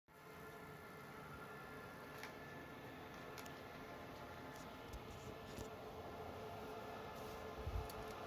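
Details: Dell PowerEdge R730 with one six-core Xeon, recorded at night from rear then front; fans run near-constant whether idle or loaded. Steady even fan rush with faint fixed tones, no surging or pulsing: normal server fan noise at idle.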